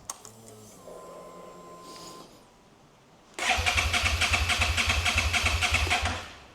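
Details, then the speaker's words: 2011 Suzuki SFV650 Gladius, after fuel pump refit and spark plug change: starter cranks evenly about 3.5 turns per second for three seconds but never fires; FI light comes on with codes C13, C14, C17, C23, C29; cranks but won't start. "Mine is not sparking now. Okay, now the FI light is coming on"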